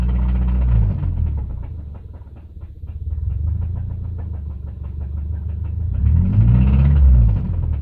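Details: Naturally aspirated 2005 Subaru EJ253 flat-four at steady idle with a sharp, regular knock about four times a second over the low engine drone; deep bottom-end, suspected rod knock.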